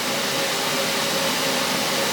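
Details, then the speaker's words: Budget 40 A plasma cutter, switched off with compressed air connected: continuous even hiss of air leaking internally, not from the external fitting, possibly air used as cooling; keeps the compressor running unless disconnected or valved. "makes that noise and it's not leaking out of the fitting external it's leing internally [Music] somehow um wondering if they're just using compressed air as a cooling medium"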